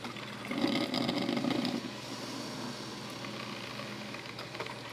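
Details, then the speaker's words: Madine filter coffee maker brewing after being switched on, coffee already dripping into holder: soft irregular gurgling and hissing bursts settling to a low simmer; normal brewing sound. "veja bem que o café já está caindo na um suporte né"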